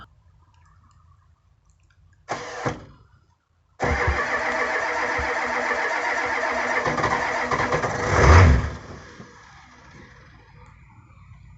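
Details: 1985 Ford F250 6.9 IDI diesel, 4-speed manual, unstarted 4–5 days at down to −27°C, −17°C today, frosted engine: short bump then about four seconds steady cranking, never fires; no-start from gelled fuel, no anti-gel added.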